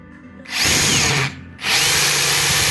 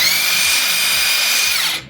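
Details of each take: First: Makita 40V cordless 3/4 impact wrench, free-running bursts before service: harsh rattling roar and vibration from a dry, under-lubricated impact mechanism; motor bushing or bearing play was also suspected; fixed by cleaning old grease, regreasing, new silicone seal. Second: Makita 40V cordless 3/4in brushless impact wrench after service (impact mechanism cleaned, regreased, new seal; earlier motor roar suggesting shaft play): high even motor whine spinning down cleanly, no rattle; runs smoothly.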